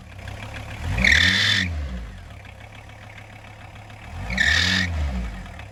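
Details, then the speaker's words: 1994 VW T4 van, early AAB 2.4 litre five-cylinder diesel, idling and blipped: two sharp high screeches, worse from cold, from a slipping alternator belt, too long 13x1125, replaced with 13x1100 and retensioned. "So it's got quite a screeching fan belt. The belt that drives the alternator is it's either not tensioned properly or it's stretched or something, but it's really screeching, especially from cold."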